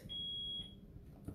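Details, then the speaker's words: Smoke alarm indoors in a craft studio during a live craft session gives a single steady high beep of about half a second over room noise and a voice; something is wrong with the alarm, cause unknown. "don't know if you can can you hear the beefing in the background to really start there's something wrong with our alarm today"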